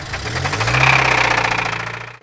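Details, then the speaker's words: 1985 Toyota pickup 22RE engine before maple-syrup oil change; sharp rapid regular knock over idle rising and falling with revs; rod knock. "last time you seen this thing it developed a pretty nasty rod knock well i don't know about you guys but i don't think a 22re is supposed to sound like this"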